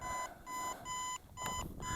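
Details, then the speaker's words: Aosenma CG028 GPS brushless drone (1406 motors, 3S 11.1V 1500mAh battery) at end of flight time; repeated short high beeps about two per second as low-battery warning while it returns home and lands itself. "That's where I last took off from. So that's its return to home and landing on low battery."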